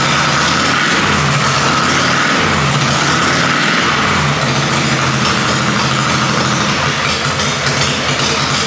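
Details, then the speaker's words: Harley-Davidson Panhead chopper V-twin after top-end rebuild, timing being set; loud note turns rough and labors when throttle is added, stumbling instead of picking up; owner thinks too much advance and takes timing out. "he as you can hear it is hating that so I'm just going to take a bit more timing out of it and see what it sounds like"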